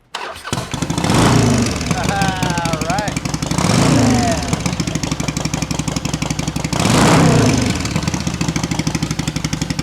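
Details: 2008 Harley-Davidson Sportster EFI chopper after installing a new fuel-injection wiring harness: V-twin fires after a short crank and settles into a lumpy, even idle with a couple of blips; starts and runs fine.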